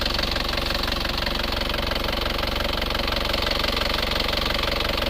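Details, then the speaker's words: Isuzu Panther Euro 2 diesel after repair for heavy oil use and blow-by, warm at 79 °C: fast, steady, even idle clatter with minimal vibration, no knock or miss, no smoke; healthy idle. "Nah, ini suara mesinnya sudah halus rata. Mesin juga minim getaran."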